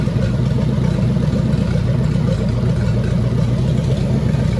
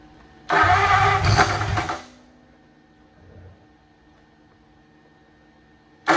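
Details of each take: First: 1927 Roadster flathead V8 at 190° temperature starts much more easily and settles into a steady, low, even idle with a soft exhaust beat, then dies, probably out of fuel. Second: 1927 Roadster flathead V8 cranking with ignition jumped to battery: brief ragged pops that never catch; they suspect the plug wires or firing order, possibly a crossed wire, and plan to check.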